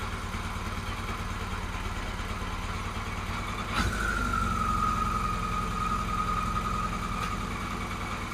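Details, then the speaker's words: Carburettor mixture balancing with vacuum gauges (number four gauge suspected inaccurate): after turning idle down, revs drop then slowly come back up, not settling; hunting idle, owner judges it not running well. "watch number four gauge as we go and the reps have now dropped and they come back up again grabs have dropped a bit and they may come back up again"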